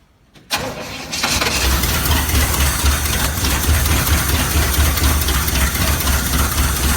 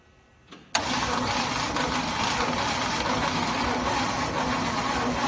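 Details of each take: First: 1969 Chevy C/20 with 327 V8, running after 40 years, muffler removed: brief crank, catches within a second, settles into steady even idle with a deep uniform exhaust beat and no misses; fuel pump not working. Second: 1969 Chevy C/20 with 327 V8, not run for 40 years: steady starter cranking for several seconds that never catches. There is no spark because the owner forgot to install the distributor rotor. Crank, no start.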